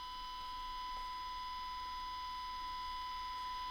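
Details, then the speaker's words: Zenith 5D810Y radio capacitor outside-foil test, 1 V 1000 Hz signal: steady tone stays loud with no difference when ground lead attached in this orientation, so outside foil is on the wrong side. "in this way we have no difference in that sound as soon as i attach my ground lead it's still loud"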